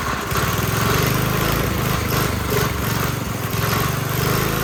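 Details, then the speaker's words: Briggs & Stratton 5 hp engine on a generator, after reassembly with exhaust refitted: thumps unevenly a few seconds then cuts out; starts but won't run, governor arm position suspected. "So I suspect that's what's causing it kind of to start but not run."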